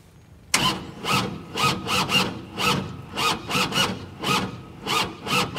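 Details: Tractor diesel hydrolocked after a rollover, oil-filled front cylinder cleared and engine reassembled (owner fears a bent connecting rod): after a sharp start, slow even cranking chuffs about two per second with no firing; cranks but won't start, cause unconfirmed.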